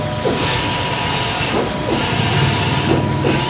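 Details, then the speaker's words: DX11/XP600 tarpaulin printer after replacing the head carrier slide bearing, before a test print: steady hiss with smooth, quiet carriage sweeps and no scraping or labouring; the new bearing gives normal, quiet operation, where it previously struggled to print. "O, narinig yung tahimik. Ang tahimik ng machine natin ngayon."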